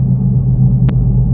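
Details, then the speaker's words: 2009 Toyota Yaris on a road test: a deep steady "wuwuh" drone from the rear while driving, felt strongly on bad roads. The inspection blames a worn rear wheel bearing despite low stated mileage (about 50). "nah ini kerasa banget bunyi wuwuh itu dari belakang"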